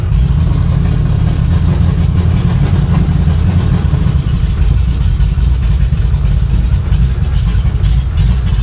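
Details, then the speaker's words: Carbureted 560 hp V8 in a formerly flooded Impala on initial run with loud exhaust: lumpy rumble surging and sagging, trying to stall; sounds like it's flooding, choke possibly falling closed suspected. "she ain't running so good. Sounds like it's flooding out. Yeah, this this ain't She ain't happy."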